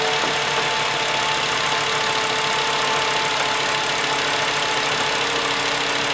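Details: 2.5 VW Jetta just after replacing all fuel injectors for an occasional miss under acceleration (suspected cylinder 2): steady, even idle with light ticking over the hum, no stumble or misfire; idling normally.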